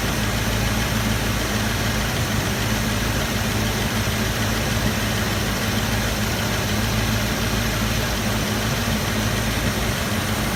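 Steady idle with a raspy, puffing edge over the engine note, as if exhaust is escaping before the muffler; sounds like an exhaust leak.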